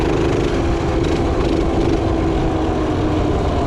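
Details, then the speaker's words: Revived minibike, small single-cylinder, after strip-down, cleaning and new parts: steady, even putter at constant speed with no misses, knocks or surging; idling smooth. "You know, look at that. Is a good built bike right there. Just look at that, idling, smooth."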